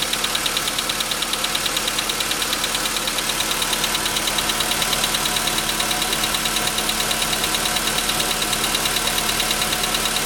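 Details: VW Jetta V engine at steady idle with a sharp, even ticking knock about three per second, clear from 15 seconds in; pistons were knocking and were replaced under warranty after the dealer recorded the sound.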